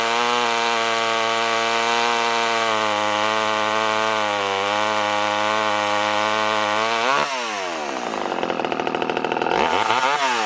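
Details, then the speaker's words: Poulan 1800 Wood Shark two-stroke chainsaw after a carburetor rebuild and a trimmed fuel line, with a hand-filed chain cutting locust hardwood: a strong, steady buzz that bogs slightly and recovers; pulls cleanly and runs healthy. "this definitely ain't winning any races and you could probably see the chips coming off of that"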